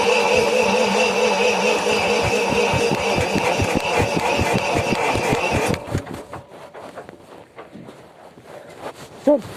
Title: 1000 kva generator hard starting....